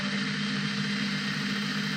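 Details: Prometheus blaster upgraded with Sunny Sky 2216 2600 kV brushless motors and aluminum flywheels, no-load test at 11.1 V in, 16 V out, max 1.5 A: constant, even high-pitched whir with no wobble or grinding; normal no-load running.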